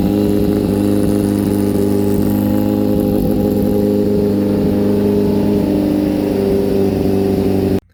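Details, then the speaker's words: 2004 Kawasaki ZX-10R, lowered and just finished being built, after only a brief earlier warm-up: cold start, settling into a crisp, even four-cylinder run with clean revs and no knocks or rattles. Normal and healthy. "You guys want to hear this thing run. This is a cold start on 04 ZX10R."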